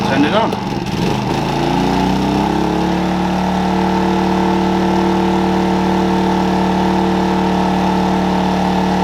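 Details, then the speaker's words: maXpeedingrods 3300W portable inverter generator started, then loaded with a 2,500–3,000 W kettle near full capacity: engine catches, pitch ramps up and settles into a loud, steady, hard-working drone; straining but running normally. "Okay, that was getting awfully loud, so I shut the door because we couldn't even hear the kettle. But yeah, it's boiling the kettle, which is great. It was taking its toll on the motor though."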